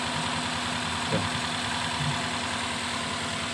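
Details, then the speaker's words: Toyota Rush that shakes at idle, starts hard and lacks power uphill: uneven, stumbling idle with thumps; a dead, swollen ignition coil causes the misfire and the spark plug is wet. "ya kayaknya ihdp Ba"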